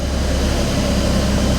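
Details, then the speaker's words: Toyota MK4 Supra 2JZ-GTE after DIY coil-on-plug conversion, first start in neutral with tacho working: deep, even idle rumble, steady low beat, no misses; really smooth, running on all six cylinders, perfect. "That sounds really, really smooth to me. That's running on all 6. Absolutely perfect."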